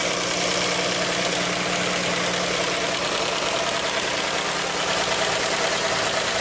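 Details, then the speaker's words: Chrysler 3.6 Pentastar V6 van before repair: bright, fast light tick over a steady idle from the rear head, bank one; a broken roller rocker arm damaged the camshaft, fixed by replacing rocker and camshaft. "So guys, as you can see, yes, it is coming from bank one. I'm getting ready to take bank one apart, take it totally apart. There's no reason for me to bench the bank two here, when it's ticking from the rear head."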